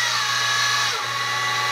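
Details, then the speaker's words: X2 Mini-Mill (CX605) with stock spur gearing at low rpm, getting louder as speed increases; steady high gear whine with a sewing-machine buzz, normal gear mesh noise. "now the mini mill on low rpm this is just with the standard gearing so spinning really slowly it's fairly quiet as you increase it it gets a little louder but still not insane"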